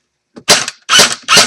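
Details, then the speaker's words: Echo1 airsoft electric gun on a fully charged stock battery, swapped in for a dead one, fired in a safe direction: three quick, sharp bursts of snappy cycling with clean stops; gearbox firing normally. "okay cool it works"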